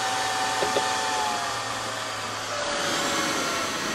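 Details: Vent fan in a converted Fiat Scudo camper van; soft, even airy whoosh with faint low hum that drops away, no rattles or scraping: normal running.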